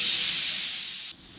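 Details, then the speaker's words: Steam safety valve rated and set at 130 psi, cycling with about a 4 lb differential; loud sharp steam hiss that cuts off cleanly as the valve reseats: safety valve cycling normally. "this thing is cycling now it's going to see 130 about 4 lb differential which is is perfect"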